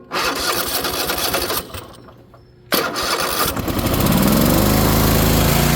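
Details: Ariens Apex mower with Kohler 7000 series twin, 238–239 hours, owner changed spark plugs and fuel filter: starter cranks, stalls, cranks again, then the engine catches with a lumpy uneven beat on one cylinder; ignition coil suspected, not confirmed.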